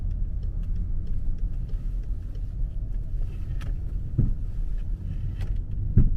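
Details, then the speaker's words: 2009 BMW 5 Series, 14 years old, 30,000 km: two dull clunks through low road rumble as the wheel is turned back and forth; seems to come from the rear, right side knocking on left turns and left on right, not the ball joint. "但是现在我听着这个动静，跟那框的那个球头完全一点关系没有，感觉后边跟有东西似的。哎，感觉一会儿在左，一会儿在右。你往左打的时候，它右边撞得响；往右打的时候，左边撞得响，感觉。"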